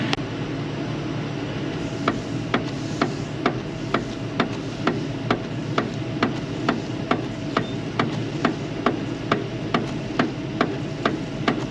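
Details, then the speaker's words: 1974 Buick Apollo running: regular sharp thumps about twice a second keeping time with the wiper sweep; the windshield wipers are noisy. "Hear the noise those wipers are making? Add that to the list."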